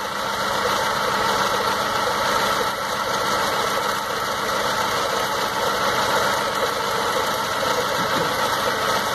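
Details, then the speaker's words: 2006 Stratus 2.0 with misfire and power loss, new plugs and lab-cleaned injectors, pulling plug leads one at a time: rough, uneven idle that doesn't change when the third cylinder's lead is pulled despite spark, so cylinder three is dead. "no sé si alcancen a notar que en el tercero pues no hace nada y se escuche y el chispazo pero con un motor básicamente está trabajando igual prácticamente yo sospecho que ahí está la falla verdad"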